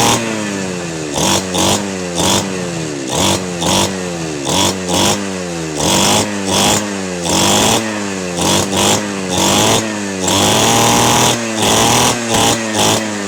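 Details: Two-stroke 411 brush cutter, stored about a year and wouldn't start, after carburetor cleaning, spark plug check and refuelling: quick repeated throttle blips rasp up and drop back cleanly and evenly; engine running healthy.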